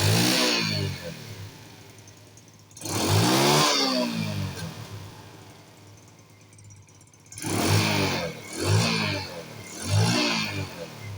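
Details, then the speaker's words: Small carbureted four-stroke scooter (Wave/Spark/Mio) before the fix: repeated throttle blips, each falling off with a rough, crackly exhaust backfire on deceleration, caused by the secondary air injection system rather than the engine; the fix is plugging its pipe with a ball or a 12/14 mm nut. "ซึ่งอาการรถจามออกท่อไอเสียนั้นก็อย่างที่บอกไว้ไม่ได้เกิดจากตัวเครื่องนะครับสำหรับรถ4จังหวะนะครับที่มีระบบบำบัดไอเสียนะครับ"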